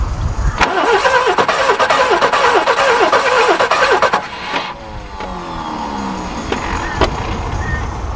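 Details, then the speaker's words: Barn-find Subaru Brumby ute, previously seized and full of water, being revived; starter churns evenly about four seconds but the engine never fires, fuel not yet picked up: crank no start. "it was so close a second ago that sounds like it's not a big end is it fuel picked up at all yet no"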